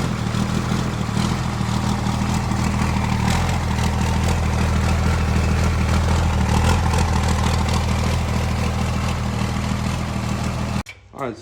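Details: Diesel truck just fitted with a replacement starter after the old one failed: deep, steady idle with an even low rumble and no stumbling; runs healthy.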